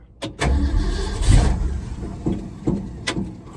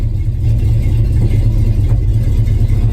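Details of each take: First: 1974 Ford F-250 V8 with new mufflers mocked up (one side not fully bolted) cranks in several bursts with short rough firing that never settles into idle; extended cranking, no start. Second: 1974 Ford F-250 V8 with new mufflers fitted (one side only mocked up, not fully bolted): deep, even, mellow exhaust rumble holding steady through the rev, no ticks, rattles or blowing; normal exhaust note, street-legal tone.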